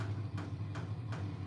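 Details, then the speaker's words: HCALORY 8 kW portable diesel air heater in a garage: soft evenly spaced ticks about every 0.37 s over a low hum; owner identifies the fuel pump metering diesel normally. "listen hear that that thumping noise is the fuel pump okay"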